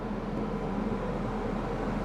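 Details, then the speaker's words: Ford Escort 1.6 16v idling with cabin blower on maximum, cold setting, air conditioning off: steady, even low idle rumble under constant rushing fan hiss; nothing abnormal. "I got the because I got the fan speed on and uh I'm right now setting up a temp gauge the fan speed is on maximum on cold"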